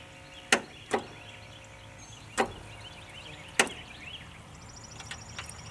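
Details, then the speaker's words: Ford skid steer after installing new ignition switch and rewiring, fuel pump confirmed working, first crank attempt: several sharp separate starter solenoid clicks, some smoke appeared; solenoid engages. "could hear the starter solenoid kick I have some smoke let's see where that smoke came from"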